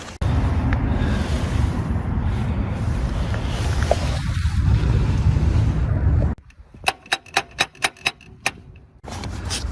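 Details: 2009 Acura MDX after a repair of a no-start with clicking and no electrical power: steady low engine hum runs evenly, then drops to quiet light ticking. Normal idle.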